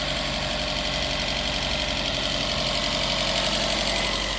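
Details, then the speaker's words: 2012 Fiat 500 run with little or no oil, engine smoking: quick light ticking, about four per second, over a rough idle that quietens as it runs; lifter tick from oil starvation. "After it's, you know, it's running a little better, the more it runs, the lifters are quietening up. And, you know, you don't have to have oil, but it sure does help."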